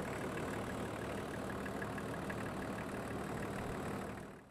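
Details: Range Rover P38 diesel idling after coolant bleed and refill, temperature gauge just below halfway, top hose hot, radiator working, little pressure: even, steady idle with soft regular chug, no hammering or hissing; cooling system now normal.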